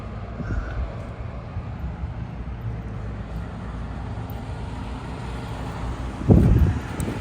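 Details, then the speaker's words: 1985 Citroen 2CV 6 Club, restored, low compression engine (about 6 or 7 to 1), bonnet open: fires up on the button, a low even twin chug settling into steady idle with one brief thump; normal start and idle. "Fires up really like on the button. But these low compression engines are like that, you know."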